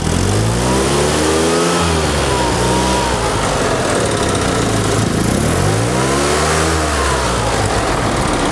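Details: 1974 Fiat 500 small engine after ignition timing was set to 7.5° before TDC: two clean blips, each climbing smoothly and dropping back to idle with no stumble or misfire; normal revving.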